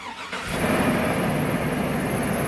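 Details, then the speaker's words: Hummer H2 just after spark plug replacement at a 100K-mile tune-up: engine catches quickly and settles straight into a steady, even idle with no stumble or miss; smooth and healthy. "Nice and smooth. Looking good. Job well done."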